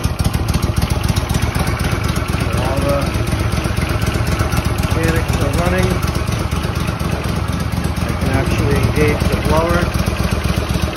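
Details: Walker mower under restoration, running only on fuel left in the carburetor, no tank supply hooked up: small single runs even and steady at fast idle with blower engaged, no misses or knocks. Normal running.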